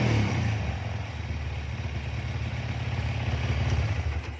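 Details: Honda CB/GL/MP/Tiger single-cylinder motorcycle after changing ignition timing to fix kick-starter kickback: blips up cleanly and settles back, even firing, no knock or misfire; normal revving.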